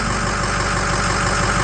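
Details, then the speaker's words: Ford 6.0 Power Stroke V8 diesel after #8 fuel injector replacement, settled at idle following revs that showed no hesitation: steady, even idle with uniform beat, no misses or knocks; normal idle. "No hesitation. Yeah, you would rev it and it would go broom, broom. Smooth. Smooth as silk."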